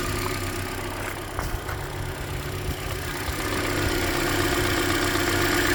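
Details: 2013 Hyundai Elantra, about 100,992 km, near yearly oil change: quick light tick about four per second at idle on cylinder 3, louder on the middle bolt; owner unsure, suspects deeper than lifters, possibly piston slap.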